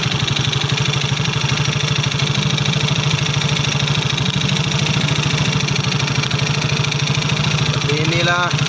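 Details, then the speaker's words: Yamaha Soul GT scooter idling with a loud, harsh clatter over the exhaust thump; the engine oil is found empty because oil changes were always late. "kali ini ada pasien Yamaha Soul GT untuk belahan motornya dari suara mesin berisik guys Coba kita dengarkan suaranya"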